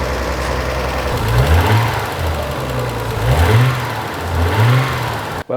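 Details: 1992 Nissan 300ZX Twin Turbo after resealing, fitting intercoolers and tightening the loose bottom intake clamp: engine fires up and takes three clean throttle blips, rising and falling smoothly with no misses or rattles; healthy running.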